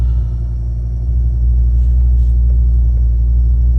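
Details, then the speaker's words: 1986 BMW 535i E28 after remounting the throttle position sensor correctly into its idle position: low, steady, even rumble with no stumble or hunting, a smooth stable idle; the misplaced sensor was the cause. "This is the smoothest. This is This is amazing. This car was never in idle mode."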